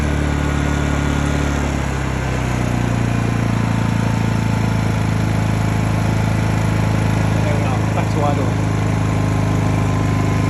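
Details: Honda EU2000i (EU20i) generator, eco ("rabbit") mode toggled, after a stale-fuel rough-idle fix; engine note steps up around two seconds, then holds a steady, even drone without hunting as demand rises. Normal running.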